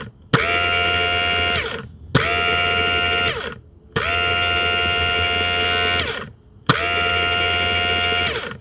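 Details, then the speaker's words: In-tank fuel sender pump from an Audi A4 diesel (also fits VW/Skoda), bench-tested via a fused link wire with a microphone beside it: four clean, steady high buzzes, no crackle or dropouts. A normal, healthy fuel pump. "right then as you could hear then my pumps sounds lovely so that's exactly what you want to listen for that's a good pump it's quite clear there's no crackles it didn't stop"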